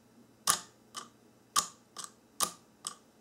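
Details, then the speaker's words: 1994–1997 Honda Accord door lock actuator bench-tested after repair: crisp paired clicks roughly once a second, no grinding in either direction, normal operation. "I'm going to bench test the actuator to show you that it's fixed when it goes in One Direction doesn't make any noise and when it goes in the other"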